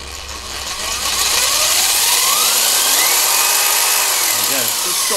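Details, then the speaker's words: Cheap mains-powered electric impact wrench (rattle gun) with speed controller, brand new, running free: high harsh motor whine rising and sweeping as trigger is worked over an even rattling hammer, torque kicking in the hands; normal operation. "well that certainly seems like it's got some bloody juice behind it I can feel the whole thing there's a point where it talks and you can see it kicking my hands"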